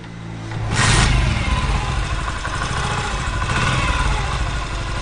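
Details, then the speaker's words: 2023 Honda CG125 single-cylinder bike after fixing a loud engine noise by re-seating and tightening a nut; blipped then settles to an even run, no chain rattle or clatter, timing chain quiet, normal engine running. "सिर्फ 10 रुपए में आपकी बाइक की इंजन की आवाज़ ओके।"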